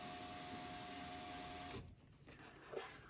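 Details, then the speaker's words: Chevrolet C10 LS swap, electric fuel pump hardwired to positive: steady high whine with faint hum for under two seconds, cuts off cleanly; pressure gauge on Schrader valve reads about 57 psi, target, holding pressure; normal operation. "so go ahead and just uh put it to a positive and you can hear it kick on and i don't know if you can see that"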